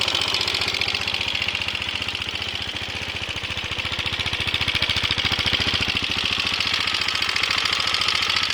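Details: KTM Duke 390 idling: sharp, rapid metallic ticking about three to four per second riding on the beat; abnormal engine noise, cause unclear.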